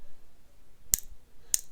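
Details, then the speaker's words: Singer 301 sewing machine bobbin case latch clicking: two sharp, crisp clicks, not stiff when pulled, spring still in really good shape. "um because the spring is is still in really good shape"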